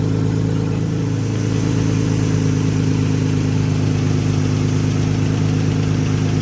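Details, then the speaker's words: Nissan after Tiida alternator conversion, battery light off once running: steady, even idle with a smooth low hum, no knocks or misses; it stays running and the idle increases, settling cleanly. "Alright. So she's staying on. And the idle increase there."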